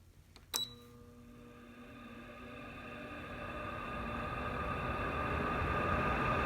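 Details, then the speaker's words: Fan that sat in a closet over a year, running on low: steady whirring hum with a faint dry bearing whine; bearings sound dry, owner suspects they need oil, and the noise has worsened over a year or two. "this so that there is low fat as you can see and the bearings don't sound that great i think they're probably thirsty for some oil or something like that"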